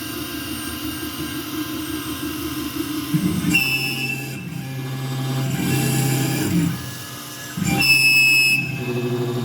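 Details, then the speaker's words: Langmuir MR-1 CNC mill with new X/Y motors, couplers, 80V power supply, 6-flute coated end mill in steel: harsh shrill chattering cut jumping in pitch and loudness; surface finish fine, suspects spindle RPM too high, possibly couplers or idle power setting. "Okay, so that sounded terrible. The question is why? Is it because, I mean, the surface finish is beautiful. Honestly, I think the RPMs are just a little too much."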